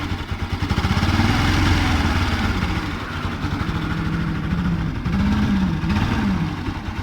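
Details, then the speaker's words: Bajaj Pulsar NS 200 (Rouser) motorcycle engine idling and blipped, with a rough, uneven clatter over the exhaust note; cause found to be a burnt stator. "es una noticia para ustedes está haciendo ruido el motor de mi ms 200"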